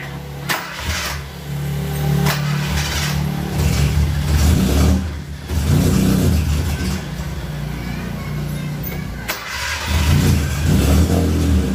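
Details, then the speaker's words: Suzuki Katana carbureted engine right after the contact points were set: cranks, catches unevenly and surges with lumpy, sluggish pickup, hard to start and lacking power; ignition timing must be adjusted by turning the distributor. "Oh no kendur platina sudah disetel namun mobil mau hidup susah saya tidak ada tenaganya"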